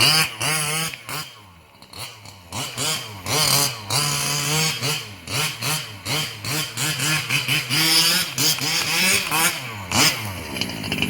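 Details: Losi 5B with OBR 34 two-stroke motor, first fire-up after rebuilding the bottom end following a failed crank bearing: small buzzy engine revving in quick blips, pitch rising and falling cleanly, no grinding or rattle; the earlier noise seems gone.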